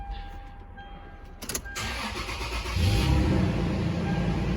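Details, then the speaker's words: 2006 Toyota 4Runner that would not start when hot, after repairing the wiring to a faulty park/neutral switch with a new loom and soldered connector: short crank, clean catch, steady even run while warming up; normal start. "all right I'm gonna let it heat up okay the truck's running I'm letting it heat up"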